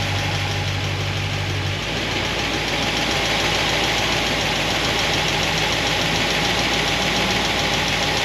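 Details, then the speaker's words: Solid roller lifter engine warming up, about 200 degrees, thermostat open, before valve lash check: busy clatter at idle that quickens as revs rise; valvetrain noise from pushrods rubbing guide plates. "So far, so good. I can deal with the mechanical noise."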